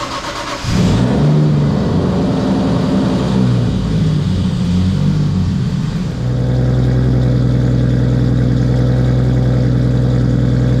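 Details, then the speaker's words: Toyota Supra MK3 with 1JZ single-turbo kit (Garrett G30-770, Link ECU), came in smoking and rough, compression test good: cranks, catches, revs then settles to steady even idle, running and sounding good. "Update everybody, Edgar has gotten the Mark III up and running. Keep running. Sounding good."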